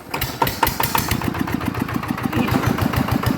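Engine catches at once and settles into an even, steady thump around 200 a minute with no knocks; sound healthy idle.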